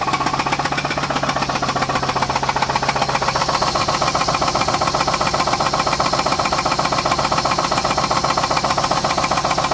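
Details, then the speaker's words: 2006 Pontiac G6 idling after an oil filter housing gasket replacement; a sharp, regular deep knock at two to three a second rides over the engine. Owner suspects a rod; unconfirmed. "So anyway, I'm gonna let you hear the knocking sound it makes now. It's probably a rod, but you hear that?"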